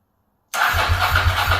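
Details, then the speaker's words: Ducati 916 after replacing fuel pump quick-connector O-rings to stop leaks, first start: lumpy, uneven, slightly slow idle on the twin; owner suspects it is slightly out of tune and adjusts pilot screws. "so can you hear are the idol a little bit slow not very good deing person Idol's a little bit slow"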